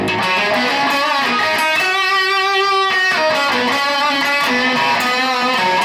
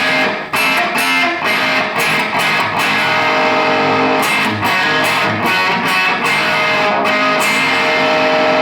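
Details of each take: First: Mojotone British-style 100W Plexi kit amp running only the two middle EL34 output tubes after unbalanced tube current caused fizz: clean guitar chords ring clearly with no fizz or crackle; normal clean amplifier tone, issue possibly intermittent. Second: Mojotone Plexi 100W kit amp with unbalanced output tube bias, one tube at 21 mA and the others about 30–31 mA: guitar tone turns harsh and fizzy, losing power, and the signal drops out; it gets worse over time.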